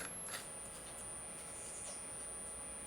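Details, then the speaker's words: Mini 3.7 V DC to 220 V AC inverter with a lamp connected: thin, steady high-pitched whistle from its switching oscillation; output only about 111 mV, very low power. "Se escucha la alta frecuencia con la que está oscilando."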